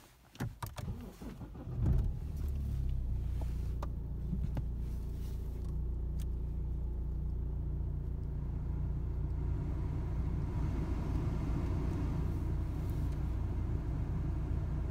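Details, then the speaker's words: BMW 3 Series heater blower motor that squeaked then rattled, after disassembly and repair in the footwell; brief start-up then smooth steady low hum with no rattle or scrape, noise gone. "nice and quiet well I'm really pleased for that repair it's gone down a tree that motors stopped making the noise"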